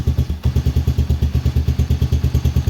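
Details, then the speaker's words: Kayo Predator 125 GY6-type single after a no-spark fix made by flipping a part under the cover so it sits evenly; thumping evenly about seven or eight beats a second with no misses, clean idle. "Starts and runs."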